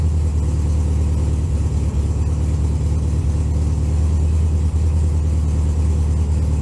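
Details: 1964 VW Beetle cold start at about 15°F in snow, steady low even throbbing idle with no knocks or rattles; normal healthy cold idle.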